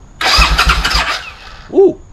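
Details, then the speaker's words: 20-year-old barn-find Suzuki Intruder motorcycle, first crank attempt while gasoline sprays out: about a second of rapid, even cranking chuffs with no firing; it turns over but does not start. "don't do that at home that was stupid but we know it cranks that's a good thing"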